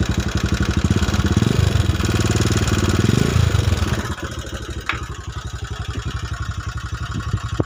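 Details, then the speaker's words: Honda Megapro New 150cc, smoking heavily and badly leaking, before opening the cylinder block: single thumps unevenly and harshly at about four beats a second with ragged idle. "Oke Lur kita hidupkan lagi kira-kira biar suaranya biar tahu sobat"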